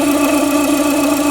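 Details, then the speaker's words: Renault Duster 2.0 at idle with the alternator belt removed: a steady mid-pitched hum that persists even after replacing the water pump, idler pulley, timing belt tensioner and timing belt. Source unknown. "Troquei bomba d'água, troquei polia de apoio, polia tensionadora da correia dentada, troquei correia dentada, barulho continua o mesmo."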